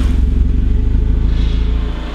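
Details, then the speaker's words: Honda Civic just fitted with an eBay turbo kit, resonator deleted and exhaust now connected, idling: steady petrol idle with a fast buzzing rattle on top, which is the shop lift vibrating, not the engine. "no it's just something over here vibrating it's just the lift is vibrating that's all it is so that vibrating guys that's the lift up there"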